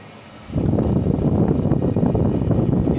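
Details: White Westinghouse window air conditioner after converting remote control to manual switch wiring, first start: half-second of quiet, then steady low hum with no rattles or surging; running normally.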